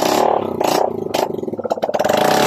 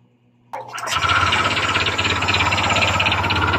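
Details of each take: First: Honda Click 125 fi after overhaul with new connecting rod and side bearings, muffler refitted: quick rev blips rising and falling cleanly with steady exhaust beat, no knocking or clatter; engine runs fine. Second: Honda Click 125 fi scooter running with the CVT drive removed, listening near the top of the engine: rapid loud metallic clatter over the idle persists, noise inside the engine; worn connecting rod knocking.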